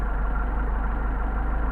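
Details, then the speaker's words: Mercedes 190SL rebuilt Solex carburetors, idle mixture screw set for best idle at 650 rpm on tachometer: even steady low rumble with no misses or hunting; normal idle. "get our best idle we got 650"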